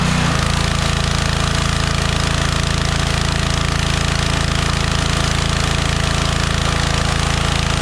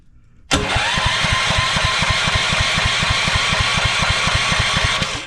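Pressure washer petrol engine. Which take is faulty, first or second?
second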